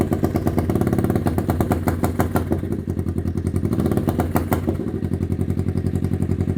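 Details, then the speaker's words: 1991 Kawasaki EN500 Vulcan with rebuilt, cleaned carb, new jets and diaphragms: idles nicely, but with a little throttle the firing turns uneven and lumpy, bogging and stalling; owner suspects rich or lean condition or air leak, cause not found. "I turn it on, it will idle nicely. Um, and if I give it a little bit of throttle, it just starts to bog and stop."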